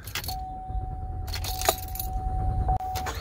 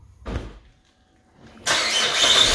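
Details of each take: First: Car that won't start after refueling and has its check engine light on: a door chime, then several seconds of steady cranking that never catches. It starts on a second try with the gas pedal held nearly down; a faulty EVAP purge valve is blamed. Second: Car that would not start after refuelling, with check engine light on, after replacing the faulty evaporative emission purge valve: engine fires first try after a brief pause and holds a steady, even idle with no stumble. Normal start and idle.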